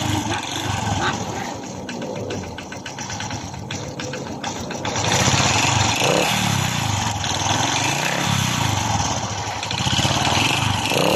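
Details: Honda RS 125 Fi motorcycle engine blipped repeatedly: metallic rattle rising with revs, quiet at idle; piston slap confirmed by scuffed piston skirt and cylinder scratches, possibly from overheating.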